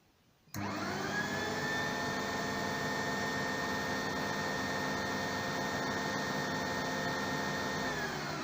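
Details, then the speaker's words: RO plant high-pressure pump on a digital control panel with its current limit set to 0.5 A: it starts with a steady hum and whine, then slows and stops as the panel beeps and shows "pump stalled", because the limit is too low. "देखिए आवाज़ आ रही है, बंद हो गया, यहाँ beep beep की आवाज़ आने लगी, और यहाँ लिख रहा है पंप स्टैल्ड, यानी आपको ध्यान होगा कि हमने इसका जो लोड दिया था एम्पियर में 0.5 एम्पियर दिया था, यानी ये इसका भी लोड नहीं ले रहा है।"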